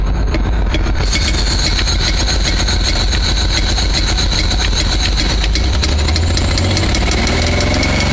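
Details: 1985 Pontiac Fiero with newly installed engine, ran well then began a regular sharp knock keeping time with revs; a bolt was removed via distributor hole but knock persists, cause unknown.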